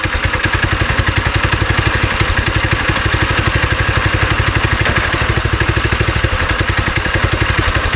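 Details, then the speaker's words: Small single-cylinder go-kart engine unused about 3 years, on choke after carb cleaner, held wide open: fast but uneven ragged lumpy firing; bad gas left in a tank pocket, smells and runs awful. "So we got it to fire up. It smells awful and it runs awful."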